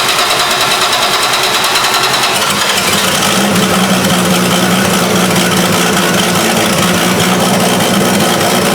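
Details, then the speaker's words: 1973 Plymouth Duster 225 Slant 6 with new Holley 350 cfm two-barrel carburetor on a factory two-barrel iron intake, first start on a dry carb: rough, fast puffing tick over a loud uneven idle, exhaust leak from an untightened intake-to-exhaust manifold bolt. "It filled up and ran. Except I heard an exhaust leak because I didn't tighten down this bolt over here."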